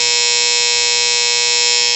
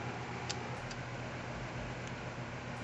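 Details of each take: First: Outdoor A/C condenser unit that would not turn on: loud, steady electrical buzz with a harsh high edge from the contactor, packed with dead ants between the points, stopping it from pulling in cleanly. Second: Outdoor A/C condenser unit after clearing an ant infestation that caused loud buzzing and no start: steady, even low hum, calm constant drone, no rattles or buzzing bursts; normal running after repair.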